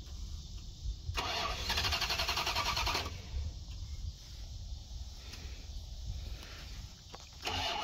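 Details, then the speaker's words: 1990 Dodge Ramcharger 2WD, sat in a junkyard since about 2014, new battery, after a small engine fire: starter cranks at a steady fast rhythm in bursts, never catches; owner suspects no fuel from the fuel pump and bad old gas. "it wants to probably got a lot of bad gas in it too but trying"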